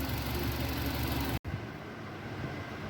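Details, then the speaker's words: 2020 Hyundai new Santro, 890 km, overheating with engine light: lumpy uneven idle, irregular stumble about three times a second; misfire from head gasket failure, coolant mixed into oil and water/coolant in exhaust silencer. "यह देखो silencer में जो पानी है देखो ये पानी है कूलेंट है सबके सब में आया हुआ है"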